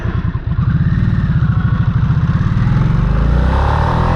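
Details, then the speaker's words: Harley-Davidson Nightster in sport mode accelerating hard: deep, even V-twin firing pulses climbing smoothly, no knocks or rattles; exhaust sounds better than road mode. "The exhaust sounds so much better in sport mode when you're like getting on it."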